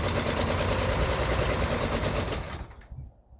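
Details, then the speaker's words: 1951 International Harvester L110 truck, Silver Diamond inline six, not run in years, good compression, with gas and some 2-stroke poured down the carburetor: it catches and chatters at a fast, fairly even beat for seconds before dying. "It turned over great, good compression, put a little bit of gas down the carburetor, and it actually fired"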